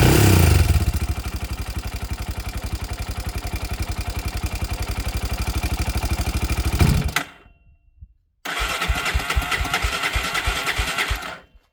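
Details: Honda TRX 300EX single-cylinder engine started on choke after an oil change: catches and settles into a steady, even thump near three beats a second, dies briefly, then restarts cleanly; normal healthy idle.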